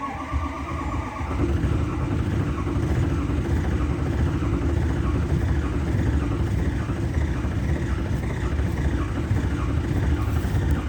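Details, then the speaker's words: 2006 Ford F-250 Super Duty 6.0 Power Stroke diesel, about 125,000 miles, cold start after sitting two days; long uneven starter churn about ten seconds with no firing despite oil pressure and throttle play: cranks but will not start. "do have oil pressure that's it it won't start"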